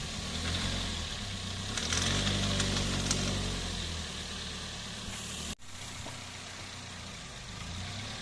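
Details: 2007 Toyota Yaris 1.3 petrol pulling off a driveway in low gear under load: a quick chattering rattle, about four a second, that eases off; normal when revved stationary; tightening the manifold bolts didn't fix it; diagnosed as the serpentine (aux) belt.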